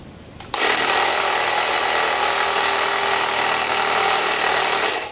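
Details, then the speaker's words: Freshly remounted tubeless motorcycle tire being inflated with the beads not touching the rim. Steady loud hiss as air escapes between sidewall and rim, with no pressure building, before the sidewalls are spread with a bead spreader: tubeless tire bead not sealed. "And we have nothing. And I could hear air hissing out between the sidewall and the rim."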